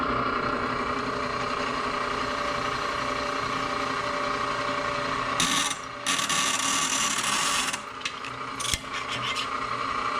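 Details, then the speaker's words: Drilling holes in soft-annealed 52100 steel: a steady thin squeal rides over the drill hum as the bit bites. Blamed on the lamellar pearlitic structure with cementite bands, drill bit squeak. "you hear that little squeak even though this is soft it's uh you know it's got that lambler perolitic structure so bands of of cementite through there give me a little bit of issues"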